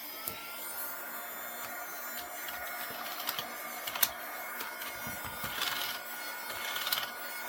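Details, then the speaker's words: Battery-powered Vivitar mini desktop vacuum used on an old, dusty keyboard: a faint, thin motor whine and soft hiss run evenly under light brushing clicks. It is working normally, though not the strongest. "Yeah, it's working. Not the best in the world, but this old this old keyboard has been around for a long time."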